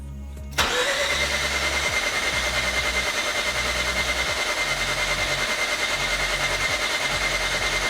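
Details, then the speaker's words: Mazda RX8 with newly installed JDM Renesis rotary, first crank with fuel relay and fuel pump fuse pulled, no oil pressure seen yet: even fast crank with steady high starter whine, no firing; normal starter cranking. "sounds like the starter is working good which is nice and all the rest of our stuff is on at least here"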